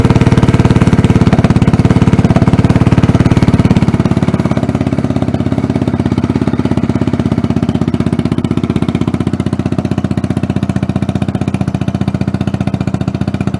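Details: Tomberlin Punisher buggy after engine swap to four-stroke (compared to GY6 150), running again after a week: firm, regular thumping about three beats a second, steady without misses; normal idle.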